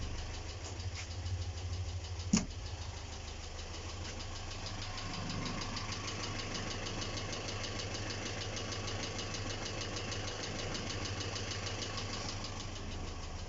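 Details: GAZ ZMZ-402 engine, recorded 2020, bottom end never rebuilt (only head removed and inspected), valves adjusted, no misfire, pressure holds: light irregular metallic ticking at idle, about two per second with one louder clack; top-end knock, source unknown.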